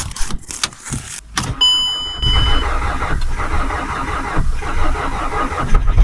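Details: VW Passat in freezing cold, engine bay preheated, cranked on a weak battery with a booster: laboured cranking that never catches; booster current insufficient, started only with more current; cranking without starting.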